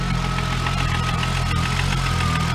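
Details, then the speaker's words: VW Corrado at its first startup in about two years, after nearly blowing the motor; it cranked a while before catching. An even, settled idle with a faint steady high whine and no misses or knocks sounds healthy, though it later would not idle or drive well. "Let her idle for a few minutes. Keep going from there. sounds healthy."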